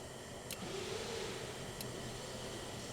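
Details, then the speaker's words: 1964 Aero Commander 680 FLP that sat 20 years in a hangar: the electric fuel selector is switched to off, giving a brief soft electric whir of steady pitch under a second, then quiet. The selector motor is running normally. "So that's literally electric, like, selector spinning. Correct. And getting in different settings."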